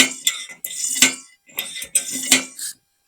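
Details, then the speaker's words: Brass paraffin blow torch hand pump held near the microphone: crisp hissing clicks in regular bursts, about one stroke per second, with no wheeze or slipping and firm resistance on each stroke. The pump draws properly, unlike failed ones. Normal pump stroke. "it makes a nice you can hear the feel the resistance comes up easily goes down that pump works"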